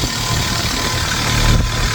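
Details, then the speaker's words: 1997 VW Vento 1.8 automatic, abandoned, after distributor contacts cleaned: steady, even idle with a low smooth hum, no knocks or misses; now running properly. "We got it running. We got it running. We did it."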